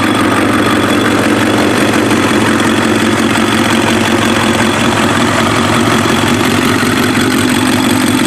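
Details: Warm Kawasaki ZX7R race bike on FCR41 flatslide carbs, synced, with fuel screws leaned to 1 turn out; the four-cylinder idle holds a steady, even beat with no misses, pops or hunting. Cylinders 2 and 3 sync slightly off; normal idle.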